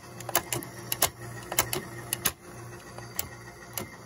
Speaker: Yes, I'm aware it's noisy. That's because both the rubber on the idler is on a hard side, but still grips.